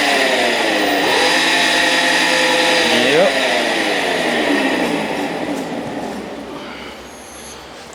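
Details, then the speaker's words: 48V Yamaha golf cart on jacks, wheels spinning after repair of a no-move fault (yanked voltage-indicator wires reconnected): gear whine rising and falling with speed from the rear end; Yamaha rear ends reputedly noisy, otherwise normal. "was told these Yamaha rear ends were really noisy, so it sounds like they are."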